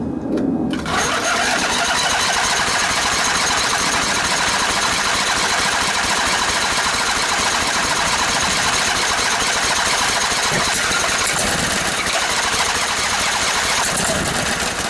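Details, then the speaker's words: Briggs and Stratton Intek twin-cylinder 20-25 hp engine bench-tested strapped to a table, IV bottle gravity-feeding the carburetor, muffler strapped on: catches and runs rough and rattly about a quarter minute, then cuts out abruptly; fuel solenoid had no power, so not opening. "Oh, I know what's going on. I don't have any power to the fuel solenoid, so it's not opening like it should."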